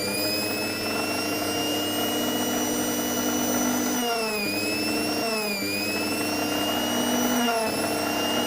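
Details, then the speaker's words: Philips Simply Silent 600W mixer grinder after repairing a seized, hard-turning coupler, tested directly on the mains board: steady high-pitched motor whine with short speed dips that recover cleanly; motor runs freely; slight carbon-brush sparking, armature still serviceable. "अभी series में check कर रहे हैं। कोई humming का आवाज नहीं आ रहा है।"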